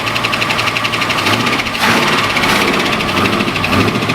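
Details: Jaguar XJ6 Series 1 with Holden 308 (5-litre) V8 conversion and Turbo 350, first start in 10 years: fast light ticking over a steady V8 idle, likely top-end tick from dry lifters expected to quiet as oil pressure builds.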